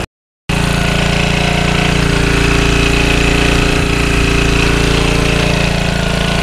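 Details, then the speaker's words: Early-1980s Generac S1500 portable generator, 1350 W continuous, settled after a cold start on starting fluid; steady, even single-cylinder putter at constant speed with no misses or surges, running normally; barely runs owner's drill press. "nice little generator it will run my drill press but just barely"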